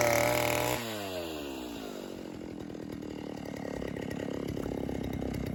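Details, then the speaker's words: 1960s Stihl 08S two-stroke chainsaw, about 60 cc, after 1/8-turn richer adjustment: revs fall off cleanly into steady even buzz, no bogging or sputter; "a lot better", normal running. "That is a lot better. We'll give it a little bit more."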